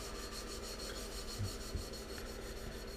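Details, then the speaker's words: Steady gritty rasping from a valve being hand-lapped into its seat with grinding compound on LS 317 cylinder heads, getting smoother as it seats. "i was told you do this here at grinding watch listen to it smooth down listen hear it getting smoother hear that when it does that you go for a few more seconds and then you lift and you move it around"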